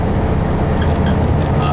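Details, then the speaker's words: 1971 VW bus flat-four while driving down main street, after valves on one side were adjusted: even steady rumble under road noise, no misfire skip; runs on all four cylinders again; normal running. "The bus is running pretty good. I adjusted the valves on that one side real quick, and you can hear it. It runs on all 4s again."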